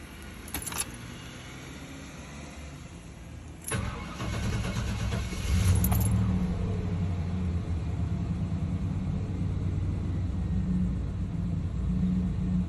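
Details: 350 TBI V8 that idles rough and dies in gear, with EGR valve, plugs, wires and fuel filter already replaced: fires after a brief crank, then idles lumpy, surging and sagging instead of settling.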